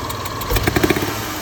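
Idling engine with a quick hissy tick and a few soft knocks in a short burst; lifter area suspected, cause unknown.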